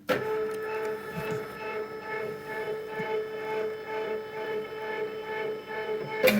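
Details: Cricut Expression second-hand cutter, carriage homing at power-on: steady mid-pitched motor hum with soft regular pulse as carriage travels, ending in clean stop; normal homing (fault elsewhere: carriage hitting side, owner suspects red-button contact points).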